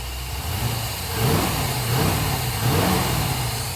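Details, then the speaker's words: Cold OBS Ford Bronco, IAC steps at 225 (wanted 3–10): blips swell slowly and sag back, sluggish throttle response before warm-up, with the idle air control motor sucking sound. "Still a little lazy, but we're gonna let it warm up."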